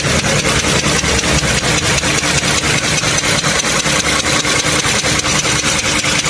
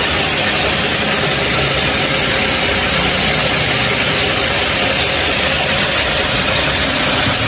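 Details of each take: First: Toyota Camry 3.5 L V6 2GR, about 100,000 km, recorded in the engine bay before teardown: sharp, evenly spaced knocks about five a second over a warm idle, a rod bearing knock. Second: Toyota Camry 3.5 L V6 2GR, about 100,000 km, after overhaul for a clicking knock, being run in after reinstallation: even, steady idle with smooth hiss, no knocks or ticks; normal idle.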